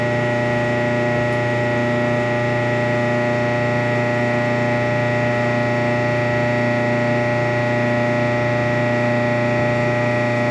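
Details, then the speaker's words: Kenmore 417.83042300 electric dryer, about 15 years old, start-up: loud squeal and rumble over droning hum for first 30 seconds, then quiet; persists after new motor, rear bearing, belt, tension pulley, drum felts; cause not found. "even after all that still makes a horrible noise for the first 30 seconds"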